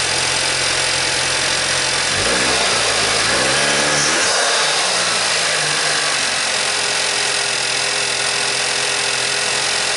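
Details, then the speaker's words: VW Passat at 67K miles, just after a spark plug change and coil refit: cranks, catches quickly and settles into a steady, even idle with no misfire or knock; runs healthy. "Runs good, I guess. Ran good before, so I was just hoping for the same result."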